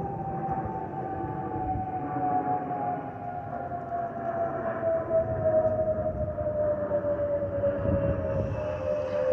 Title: Airbus A320 family FOPP whistling sound